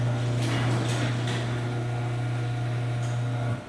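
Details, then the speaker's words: Garage door, 9x8 North Central, running on its opener: steady low motor hum with short faint high squeaks from a dry hinge; this door is now quieter but a hinge still squeaks, exact hinge unknown, may need lubing again. "that hinge still squeaks i have no idea what's making it squeak i might just have to lube it again"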